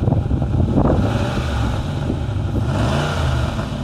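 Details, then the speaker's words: Jaguar XK8 V8, bought at auction, listed as misfire: deep rumble with scattered sharp pops and crackles on throttle, attributed to an exhaust blow at the front rather than a misfire. "it's misfire it's not it's that exhaust blow you can hear it like popping and crackling at the front"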